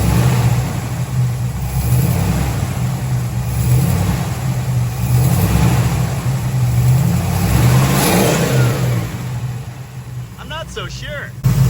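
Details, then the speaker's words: 1973 Dodge Challenger big-block V8 with HEI: deep, steady rumble with an even beat and no dropped pulses; running better than ever, not missing. "Wow. I have never heard this thing run so well. We've definitely got temperature out of 5 now. Incidentally, it's still colder than 3 there. Listening to the thing, it's definitely not missing."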